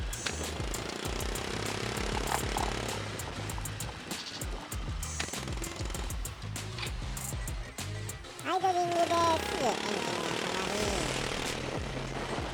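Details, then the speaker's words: Yamaha Majesty 125 scooter after cylinder cleaning with fuel additive, now back on regular gasoline: still afterfiring. The idle is ragged and hunting with sharp pops about three a second and dies when the hand releases the throttle. "The engine starts but is not stable. It will stop when you release your hand."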